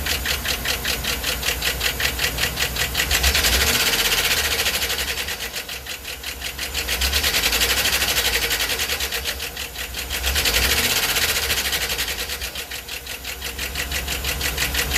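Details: 2009 Yukon 3.5L V8, 13k miles: sharp, rapid knock rising with rpm and acceleration; check engine and StabiliTrak flash at 1500 rpm, then rough idle; oil change and Marvel Mystery quieted it slightly; rod knock, flexplate, torque converter or lifter suspected.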